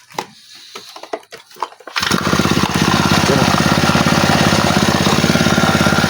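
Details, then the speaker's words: Honda GX35 grass trimmer/brush cutter after replacing its carburetor for hard starting and misfiring: fires on one pull and settles into a fast, even buzz with no stumbling; normal start and run. "Tsaka napakaganda ng hagod niya mga bossing oh."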